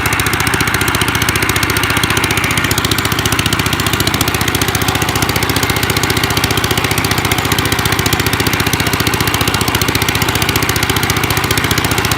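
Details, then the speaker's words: 1955 Gravely Model L single-cylinder, sat about five years, points cleaned, started in two pulls, mid throttle, neutral: loud raw rapid putter, harsh open exhaust crack, slightly uneven; ran half-choked, owner suspects carb needs cleaning or needle opening. "it was kind of on like half-choked the whole time so it probably needs you the carb cleaned or maybe just even the needle open"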